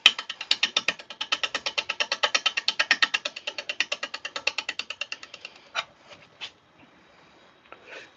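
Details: Wood lathe: fast, even chattering knocks about two per second as the spindle roughing gouge hits an off-balance, possibly birch blank with a branch stub still on, then it smooths and stops; rough running from the unbalanced blank.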